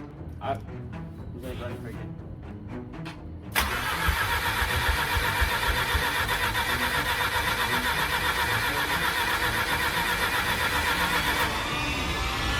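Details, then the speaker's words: Series 2 Mazda RX-8 rotary engine, reassembled after low-compression teardown: brief uneven cranking then catches within seconds into steady even idle; normal start. "Started right up. That's insane."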